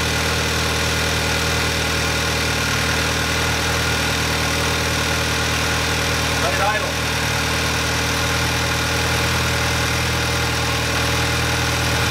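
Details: VW Mk5 Jetta Wolfsburg 2.0T TSI after engine-out seized balance shaft repair, first run; steady, even idle with smooth unchanging hum and no knocks or ticks, running cleanly.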